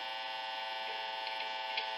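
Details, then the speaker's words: Telecaster-style guitar through amp modeling: constant bright buzzy hum, quieter when touching bridge metal or neck pickup case; neck pickup ground disconnected, cover ungrounded after 4-way selector switch mod. "I noticed that when I get to the neck if I touch the ring which is supposed to be grounded which it doesn't seem to be fully grounded well if I touch the case of the neck pickup makes a really big difference"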